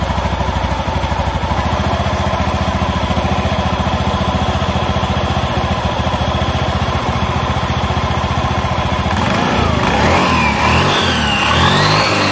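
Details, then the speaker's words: Honda Beat ESP scooter that would not start on the starter, never serviced since purchase, after repair: steady, even single-cylinder putter at idle with no misses, knocks or rattles; idles normally. "Oke selanjutnya kita starter perhatikan mesinnya Oke ini sudah hidup hidup normal Saya rasa ini sudah bisa dibuat jalan ya"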